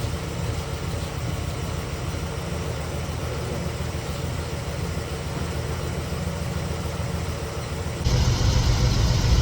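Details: 1969 Chevelle SS big-block V8, sat 37 years, idles rough with an uneven loping stumble; suspected dead cylinder, exhaust pipe temperatures checked with pyrometer (some around 85°, others 280–600°), cause unconfirmed.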